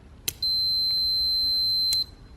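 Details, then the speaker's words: Automotive cooling fan relay, fan circuit substituted with a multimeter, relay actuated by hand: sharp click, steady high meter beep about a second and a half, click at release; relay contacts close properly. "anytime this switch closes it turns our fan on so we could even actuate it by hand and you can hear the beeping"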